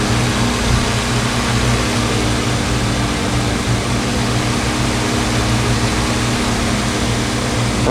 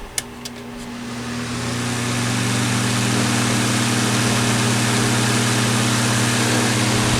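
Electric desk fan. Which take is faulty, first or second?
second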